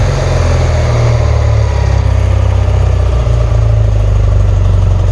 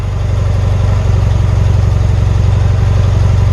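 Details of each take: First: 1977 BMW R100S twin, warm and just started, choke still on: deep, steady low thrum with an even pulse and no misses or rattles. Normal warm idle. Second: 1977 BMW R100S twin, warm restart after about 15 minutes off, choke still on: steady low thudding idle with slightly uneven pulses, holding speed but not quite smooth. The owner feels a small throttle turn could make it die. Rough idle.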